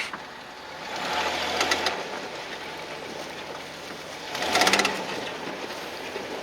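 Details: 2010 Jeep Wrangler JKU in four-wheel drive, microphone under the vehicle while creeping along: quick bursts of sharp clicking come and go, traced to the front driveshaft, which gets replaced with a sturdier unit.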